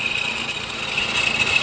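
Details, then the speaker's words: Honda CR-V 2.2 diesel idling: steady high whine with rough hiss, still present after replacing the belt rollers; diagnosed as a worn alternator bearing, alternator to be replaced. "і все висновок що це є підшипник генератора йдемо знімати генератор"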